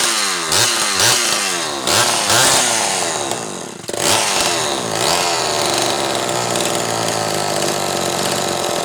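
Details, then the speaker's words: Zama C2002 carburetor from a McCulloch Pro Mac 800, tested on a 54cc engine with different linkage and no idle screw, so it won't idle; needles turned in about half a turn; quick blips then high steady scream, no stumbling; running fine. "So it won't idle because obviously this linkage is shaped different and there's no idle speed screw there, so don't let that fool you. This appears to be running fine."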